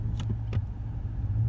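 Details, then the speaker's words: 2015 Chevrolet Silverado with a 4/6 IHC lowering kit, hard braking and accelerating in reverse; two sharp knocks over a low idle rumble. Typical IHC front clunk from the control arms; rear lift shackle also squeaks. "I don't know if you guys heard that that real thumping that's going forward right there and breaking bumping"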